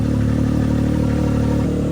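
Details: Can-Am X3 with newly installed FP Green turbo, running again after five months down: smooth, even, crisp running with a steady low beat and no knocks, ticks or whine. Healthy engine.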